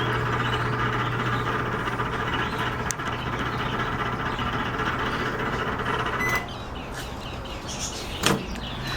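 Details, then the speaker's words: Microwave oven running with a loud, steady hum and a rough buzzing drone that then quietens. The noise comes from the turntable (carousel) motor; the oven still heats fine. "Les saluda Joel hoy en este vídeo les voy a mostrar Cómo reparar este horno de microondas que está generando un ruido bastante fuerte y al parecer el ruido proviene del motor o sea lo que es el Carrusel el motor que que hace girar El plato"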